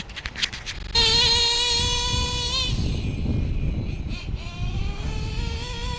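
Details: Stock Traxxas Revo 2.5R nitro engine, Trinity pipe, VP Race 20% fuel, single-speed conversion with 40T spur and 15T clutch bell: high buzzy whine, slightly wavering as throttle eases; running cleanly, normal.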